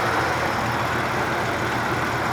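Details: 1994 Dodge Dakota 5.2 V8 just after fuel injector replacement, vacuum line detached: smooth, even idle with a steady low rumble and no misses, ticks or stumbles, no fuel leaks; running healthy.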